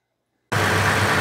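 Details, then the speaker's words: 2016 Toyota Tacoma after replacing broken AC compressor clutch drive plate, engine running: steady even engine-bay hum, no grinding, rattle or squeal; compressor cycling fine, cold air, normal AC operation. "Well, it's hard to see from up here, but the compressor is cycling just fine now. And we've got cold air. There's no noises from the compressor."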